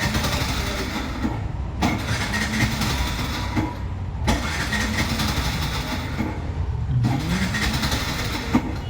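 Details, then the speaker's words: Bajaj BS6 motorcycle with codes P0336, P0351, P0352: runs roughly, misses and cuts out, then restarts and stalls again several times over nine seconds; intermittent stalling with check light, cause suspected, not confirmed. "ಮತ್ತೆ ಇಷ್ಟೊತ್ತಾದಮೇಲೆ ಹಿಂಗೆ ನೋಡಿ start ಆಯಿತು, of ಆಗೋಯ್ತು, start ಆಗುತ್ತೆ, ಮತ್ತೆ of ಆಗಿಬಿಡುತ್ತೆ, start ಆಗುತ್ತೆ ನೋಡಿ ಇವಾಗ ನಿಂತ್ಕೊಂಡ್ಬಿಡ್ತು."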